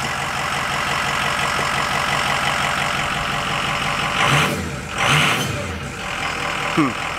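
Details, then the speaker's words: 2005 Ford F-250 6.0 Powerstroke diesel with a new AFE Momentum dry-filter cold air intake: steady idle, then two quick throttle blips rise cleanly and drop back evenly; sounds ready for action, healthy. "Sounds like it's ready for action."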